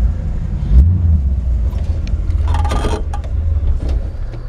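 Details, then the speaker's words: 1960 Ford F100 short-bed, carbureted, with a mild cam, cold idle: deep, uneven loping rumble from the cam. The engine takes a little time to warm up but sounds healthy. "sweet ham yeah little cam in it she just takes a little time to get warmed up"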